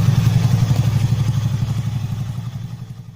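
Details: Honda Beat carburetor scooter single-cylinder, after a homemade replacement for the lost decompression pin: putters evenly at about four beats a second, fading away smoothly, with no knocking or hesitation; healthy running engine.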